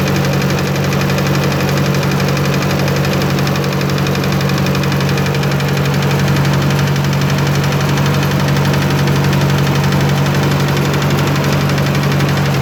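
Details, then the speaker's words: 1954 Ford NAA tractor with an original six-volt positive-ground system, not started in a while, idling: a light, regular tick of about three per second that rises and falls with rpm. The owner suspects a lifter tick. "you can hear the tick increase as i add more rp ons and decrease as i take them away"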